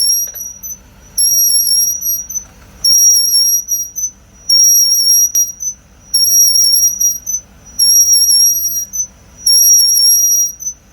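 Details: Car on a lift after front and rear pads were removed and sanded, front noise gone: high piercing squeal coming and going about every 1.5 seconds as the wheel turns, from the right rear brake; cause not found.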